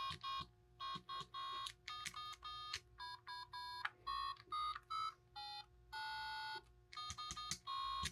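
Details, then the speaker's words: Game Boy Color after capacitor replacement and then replacing a rusty faulty speaker, sound test: clean steady test beeps and tune with no buzz, rattle or crackle; speaker now sounds completely normal. "Sounds completely normal. So, one redeemed. Wasn't my fault. Was the speaker's fault."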